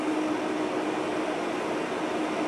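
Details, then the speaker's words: Dell C1100 server with two quad-core low-voltage Xeon L5520s, PWM thermostat-controlled fans, room in low 70s/high 60s, recorded from behind the camera: even airy hiss with faint steady tone, no pulsing or rattle; settled after about five minutes, normal quiet fan idle. "it's as quiet as it is right now it took about five minutes to quiet down I'm standing around behind the camera and it's it's hard to determine this sound where the sound is coming from"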